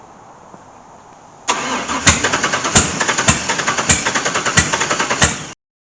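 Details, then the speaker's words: LS1 V8 swapped into a C3 Corvette, retry after checking fuel rail (some air, fuel present): steady cranking about three turns a second with no catch; cranks but won't start, injectors found gummed up and clogged. "again okay folks I think I figured out why my car wouldn't start these injectors are just pretty gummed up if you look in there it's completely just totally clogged"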